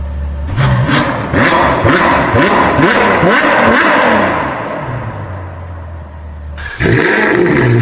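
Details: Suzuki Multicab F6A engine: uneven, choppy revving that stumbles as speed rises and falls; one cylinder misfiring because oil has got onto its spark plug, interrupting the spark.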